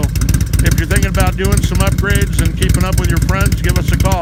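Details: 2006 Harley-Davidson Ultra Classic V-twin after S&S 100-inch big bore kit, cams and TechnoResearch tune download: loping, uneven, bumpy idle from added compression and cam change, the lumpy performance cam idle.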